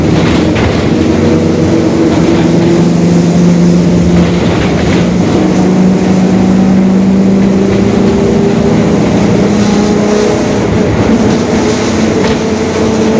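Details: 2021 Marcopolo Torino S lengthened city bus on a Mercedes-Benz OF-1721 Bluetec 5 diesel chassis, recorded onboard. A steady drone with low tonal growl bands drifts with road speed over the diesel rumble: a growling differential.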